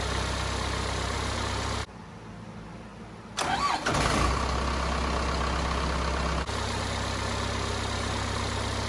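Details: Cummins 4BT diesel in a Power Wagon build, first start since 2015, new filters, temporary battery, fuel solenoid and pump powered at 8 psi fuel pressure; short crank, catches and settles into a steady, even idle: clean, healthy start.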